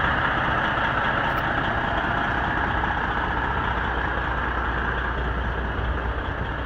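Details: Bieber Tourways bus #545, heavy diesel left idling unattended 25 minutes, uneven lumpy beat of about two or three per second, misfiring at idle.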